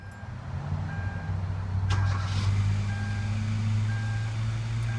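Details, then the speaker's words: Kia Rio 1.6L started right after new spark plugs were fitted and the coil packs, harness and battery were reconnected. It catches quickly and settles to a steady, even idle with a chime beeping. Normal start and idle. "right up everything sounds good get ready to take it for a spin"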